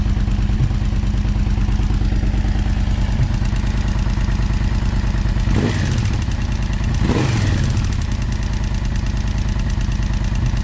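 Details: Yamaha VMAX 1200 engine: fast metallic rattle over a lumpy idle, persisting through two quick revs; something loose inside, cause not yet pinned.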